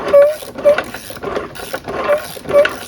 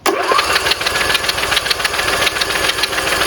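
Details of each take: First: Briggs riding mower engine seized from running dry on oil, being turned by hand to free it: gritty grinding bursts about twice a second from inside, which the owner suspects is the camshaft and crankshaft gears meshing. The sound is gone when turned the correct way. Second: Briggs riding mower engine, previously seized from running dry on oil, cranked on the starter with the spark plugs removed: fast, even spin with no compression pulses and no binding or knocking, now completely unseized.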